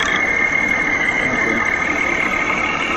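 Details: Running car engine with a steady high whine and rough whir around the fan belt, louder and rougher when revved, from a worn belt tensioner bearing; compared with a quiet good bearing, replacement needed.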